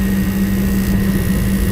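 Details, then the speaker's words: Lennox commercial rooftop unit after faulty gas valve replaced: steady low roar with constant hum, no popping, rumbling or flutter; burner firing smoothly, flames look good, gas pressure still to be checked. "as you can see it lit up pretty good I mean Flames look good but you always want to double check your gas pressure"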